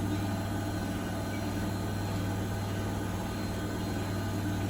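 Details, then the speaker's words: Bosch WFP3300 washing machine after new drum bearings and door seal, citric acid test wash, final spin to 1600 rpm: steady even low hum, no rumble or grinding, very quiet; normal high-speed spin. "so it's pretty good i reckon it's very quiet really it should wrap up now and just give it the last spin to 1600."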